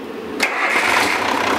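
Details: International DT466 diesel on a lab stand, restarted after being stopped from high rpm by oxygen starvation (runaway-shutdown demo): catches at once after short crank, settles into steady even run with no stumble; normal start.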